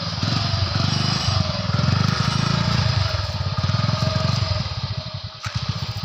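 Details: Yamaha Crux motorcycle just cold-started by kicker: single-cylinder engine thumping at a steady quick beat, even pulses, no misses or knocks; runs cleanly.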